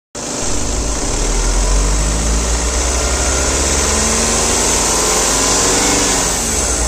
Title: Skoda superb 2011-2012, Engine noise.